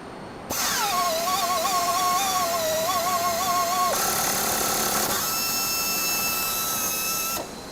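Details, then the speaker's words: FlexArm tapping arm with 1500 rpm air motor and clutch tap holder, tapping 1/2-13 blind hole in aluminum; steady air-motor whine while cutting, then pitch shifts as the clutch slips out at hole bottom; normal. "so as you saw there we got a clutch mechanism in our tool holder so once the tab reaches the bottom of the blind hole it clutches out before the tap breaks"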